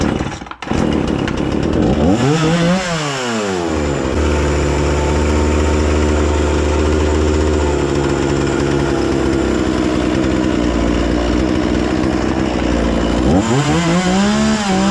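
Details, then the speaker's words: Husqvarna 236 chainsaw after carburettor service and adjustment for stalling at idle: fires, blips up and settles into a steady, even idle without stalling, then revs cleanly; no problem with the engine now. "Şu an motorda herhangi bir sorun yok."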